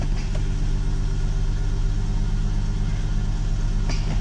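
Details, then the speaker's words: 2004 Ford Mustang (New Edge), first start after fuel pump replacement: the new pump is heard priming, then the car starts right up into a steady, deep, even idle with no knocks, misses or hunting. "I can hear the fuel pump priming. That's a good thing. Never did that before. And it starts right up."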